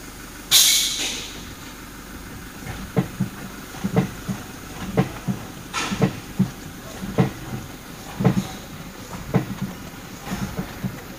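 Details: 2018 Toyota Fortuner: sharp knocks, a bit over one per second, in pairs from under the front when braking forward or reverse; the alarm horn had broken loose from its bracket bolt, and after repair it was normal.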